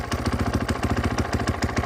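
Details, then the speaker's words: 2014 Husqvarna FC 450 started cold after sitting a week or two: steady thumping single-cylinder idle, no odd knocking, just a cold 450; noticeable clutch chatter that changes with clutch in versus out. "Doesn't sound like any odd knocking. Just sounds like a cold 450, really."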